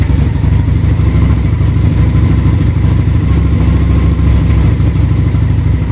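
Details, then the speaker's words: Harley-Davidson V-twin during carburetor synchronization: lumpy, uneven idle with loose irregular pulses, still breaking up a little; rough idle from carburetors slightly out of sync before final adjustment. "Listen to that idle come together. Still breaking up a little bit. We'll drop the idle just a tad here."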